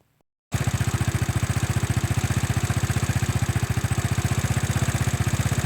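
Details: Engine that would not start, then stalled at idle, after ignition and fuel checks, new spark plug, carburetor cleaning and retuning; catches and settles into an even idle, about four beats a second, steady without misses; runs smoothly, normal idle.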